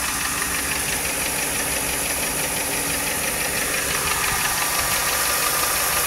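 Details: 1995 Lincoln Mark VIII LSC, Ford 4.6 DOHC V8 at idle: quick, fairly even light tapping about three per second; owner unsure whether lash adjuster tapping or piston slap/rod knock, cause undetermined.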